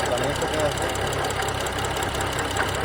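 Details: 2011 BMW 335i engine idling: uneven, light knocking clatter mixed into the hum; engine does not stall and temperature does not rise much though it runs hot; source unknown.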